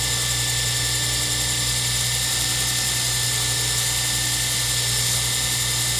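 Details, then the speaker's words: Lathe turning a circuit board pen blank for a Zodiac pen kit: steady even motor hum under constant hiss, no cutting chatter or scraping; sharp-enough tool makes the plastic cut nearly silent; normal. "As you can tell, there's almost no sound of turning. You hear the engine, the motor of the lathe running, but you really don't hear me going across that plastic at all."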